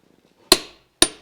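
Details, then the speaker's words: Click-type torque wrench on a wheel nut: two crisp, sharp clicks half a second apart, then quiet; the wrench has reached its set torque and the nut is tight. "And you hear that click, and that tells you that it's tight enough."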